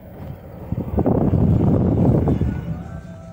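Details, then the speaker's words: 2006 Ford F-150 4x4 driving after fixing front hub vacuum engagement (broken 4x4 vacuum hoses): steady low road rumble, smooth even drone, no rhythmic whirring or clunking from the driver-side front axle. "¿Se dan cuenta? Ya no lo escucho, muchachos."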